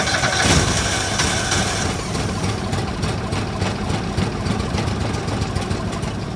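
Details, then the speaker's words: Argo ATV after winter storage, with fresh oil, filter and plugs: the engine catches and runs roughly a few seconds, then slows and fades out. A bad fuse that didn't look blown was cutting power to the fuel solenoid. "So, now it was starting for about 5 seconds and then shutting down. Starting for 5 seconds and shutting down."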